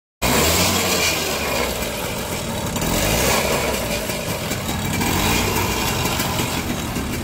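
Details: Super XL 70cc two-stroke moped started after clutch lining fitting and cleaning: small engine putters along steadily with an even beat and no knocks or rattles; normal idle.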